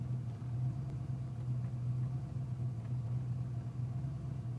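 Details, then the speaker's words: 1987 Ford Mustang 5.0 with an 1989 engine, speed density, cold start idling near 1000 rpm: lumpy, uneven beat with dropouts, car shaking; misfire despite new plugs, wires, cap, rotor, coil, fuel filter, cleaned IAC and set TPS. "like the car super shaky as you can see the [Music] camera so it's still cold"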